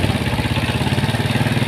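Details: Yamaha Mio Sporty scooter, single-cylinder, idling with exhaust refitted after camshaft rocker arms (in and out) were installed and oiled, starting on the first kick; steady, even low beat with no knocks or misses, smooth and normal after the fix.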